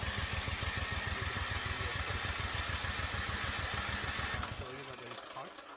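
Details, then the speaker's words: Craftsman 24-inch electric-start snow blower left unused over the summer. The starter cranks steadily at about three turns a second for four seconds, never catches, then winds down. Cranks but won't start; owner plans to replace the spark plug and felt it lacked power. "I got gas but it's not turning so now I'm going to take this SP plug out"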